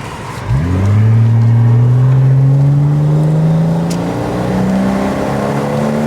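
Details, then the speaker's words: Porsche Boxster 986 S automatic bought from a salvage auction, on a road drive: a clean exhaust note climbing steadily through the revs with smooth power and no misses, knocks or rattles; healthy engine under acceleration. "Power's nice and smooth, isn't it?"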